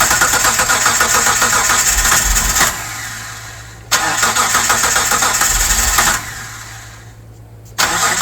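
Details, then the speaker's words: 1998 Mitsubishi 3000GT base SOHC 3.0 L V6, sat about 12 years, first crank after new distributor, coil and power transistor unit, gasoline poured in: long uneven cranking that briefly starts and catches, then drops away; fuel system not yet connected. "probably doesn't seem like much, but it did start and catch."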